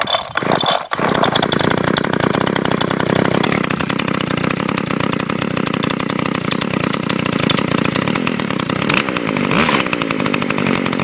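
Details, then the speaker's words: Kawasaki KHT600S hedge trimmer with TH23 two-stroke engine, started with choke and a quick pull: steady buzzy high-revving running, even firing, no stumbles, somewhat smoky; healthy. "It is kind of smoky though. That's okay, I know it's good lubrication."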